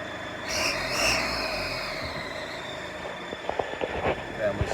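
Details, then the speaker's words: 2013 Mercedes Vito 113 CDI turbo diesel van revved outside: high, thin squeal with hiss rising with revs; exhaust manifold gasket leak at cylinder 1, soot on engine side, after tightening turbo gasket bolts failed to help (turbo also suspected initially). "kay guys, so my van has a really bad noise issue currently, which we suspect is coming from the exhaust manifold gasket. Failing that, it's possibly the turbo."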